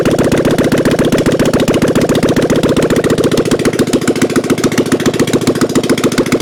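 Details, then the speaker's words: 1997 Harley-Davidson Softail Springer, unused since 2002, being fired up again during revival; headers and mufflers apparently not yet fitted. Loud, lumpy V-twin idle with no clatter now that oil is reaching the lifters; sounds good. "Oh yeah, we got some good oil now, slinging it everywhere. Yes, we did it. Sounds good too."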